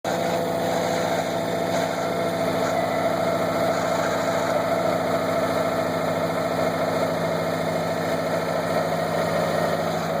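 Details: 2014 Subaru WRX at about 15k miles, cold start at 0–30°F with clutch pedal out: steady cold idle with a rough, gritty grind under the engine note, gone with clutch in; throwout bearing suspected, replaced before but noise returns.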